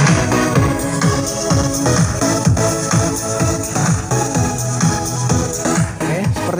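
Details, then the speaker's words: Repaired mini powered speaker plays dance music cleanly, with no crackle, buzz or hum, after the loose rear RCA/jack socket was fixed; it previously hummed, crackled and varied in volume. "speaker aktifnya sudah bisa berfungsi normal berfungsi kembali bisa nyala normal suaranya bisa jernih suaranya tidak kemrosake atau suaranya tidak Bingung lagi ya Nih suaranya sudah jernih"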